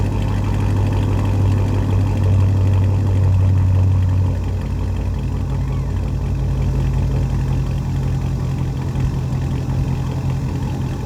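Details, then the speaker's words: SleeperGTP, warmed up just after a drive and back running after a repair: deep, even V8 idle with a steady beat and no knocks or misses; smooth and healthy for its high mileage, though the owner suspects slight piston slap. "all right so yeah i mean it's pretty healthy for that many miles it runs pretty smooth"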